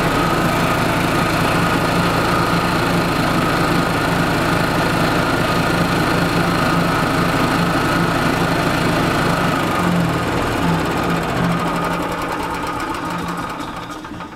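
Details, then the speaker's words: 1996 Yamaha G14 gas golf cart, running again after a fuel-system prime following winter storage. It smokes heavily, has no oil and the governor is set to max. A loud single-cylinder engine with a heavy, regular knock at about 4 per second; the cause is unconfirmed. "she has got a loud knock i think they beat the crap out of this"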